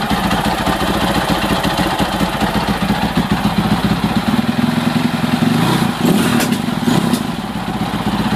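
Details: 2006 Husaberg FE650 single-cylinder at idle, after a dual valve spring kit and a new 70-link cam chain and tensioner were fitted: loud, evenly paced mechanical clatter over a steady idle; the source of the top-end noise is unclear.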